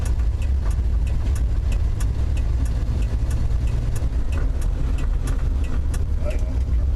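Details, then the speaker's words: Valiant after a week of daily driving, recorded at the floorboard while driving after it shifted into second on its own: low heavy drivetrain drone with sharp clicks every half second; abnormal transmission noise, cause unknown. "Okay, now shifted a second on its own. You hear that noise? I'm going to put you down by the floorboard here. Alright, I'm going to sit you guys down here at the floor so you can hear that weird noise."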